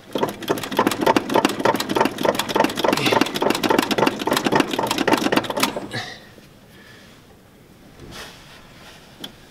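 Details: 1969 Ford F-250 with a carburetor, started after about seven months sitting, running on starting fluid instead of gas: rapid, uneven firing for about six seconds, then it dies once the spray runs out.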